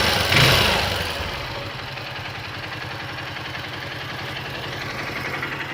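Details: Honda XR 150 L single-cylinder motorcycle engine at idle: a fairly even tapping roughly three per second. Engine noise, cause unclear.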